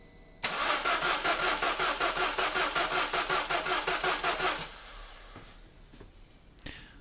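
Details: Peugeot 207 Convertible that won't start, with fuse five (the fuel pump fuse) pulled while the tank pump still buzzes: the starter cranks evenly, about 160 compression beats a minute for four seconds, but it never fires.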